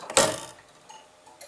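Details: Gents master clock system, dial mechanism stepping once every 30 seconds: one crisp mechanical clack then faint light ticks; normal step.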